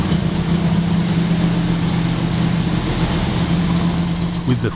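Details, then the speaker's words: 1970 Dodge Challenger T/A 340 V8, just started after nine years in storage, not yet warmed up: deep steady idle with an even rumble, no top-end ticking, good oil pressure checked. "340 up and running Nick makes sure this good oil pressure and listens for any clacking from the lifters."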